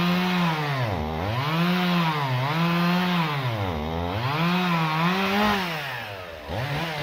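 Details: Stihl MS 391 chainsaw, about two years old, cutting hard walnut logs: strong two-stroke howl dipping and recovering every couple of seconds as the bar bites; normal cutting under load.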